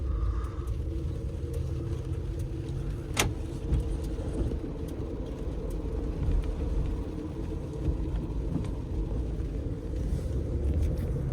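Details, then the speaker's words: 2014 Acura RDX with 154,000 km, road test: steady low-mid howl over road rumble from a worn driveshaft (propeller shaft) center hanger bearing. "so the hangar bearing is making noise um first I'm going to take you for a road test just around the block just for you to hear it"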